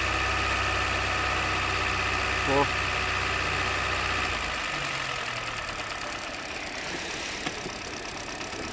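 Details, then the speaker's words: 2023 Hyundai Verna BS6 petrol automatic, which is overheating, losing coolant and slow to start: light, even tak-tak knock at idle, about three to four per second. Confirmed as piston noise, with the pistons loose and the cylinder walls scored. "दो number तो जो हमारा engine में से टकटक वाला sound आ रहा था वो हमारा 100% पिस्टन का साउंड था। तो यह पिस्टन पूरे टकटक कर रहे हैं।"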